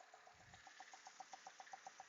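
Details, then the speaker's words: 2005 Mercedes E320, evap system test with Autologic Drive Pro: crisp even ticking about seven times a second over faint engine hum from the purge valve under the coolant reservoir; it pulls vacuum, working normally. "alright that's the signal from the purge valve let me show to you where it's located so it's right here under the coolant reservoir"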